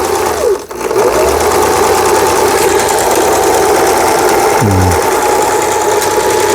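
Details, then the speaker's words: Lion JF1012 sewing machine, about 25 years old, seized from long disuse and with a shorted lamp socket, after repair: pedal pressed, even quick mechanical chatter at steady speed, turns freely with no catches or grinding; runs smoothly. "자, 이렇게 해서 페달을 한번 밟아 보겠습니다. 이게 원활히 회전해야 되는데."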